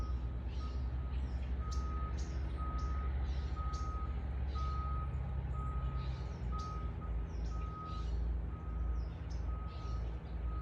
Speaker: do you also hear that beeping sound of this vehicle that is moving backward that has that kind of alarm beep